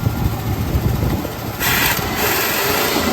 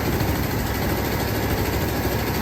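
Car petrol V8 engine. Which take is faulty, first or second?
first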